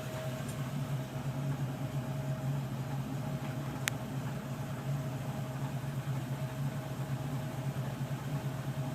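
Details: 1994 Land Rover Defender 90 4.6 V8 idling: uneven, lumpy beat with light tapping and vibration over the hum; rough idle, cause not yet pinned down.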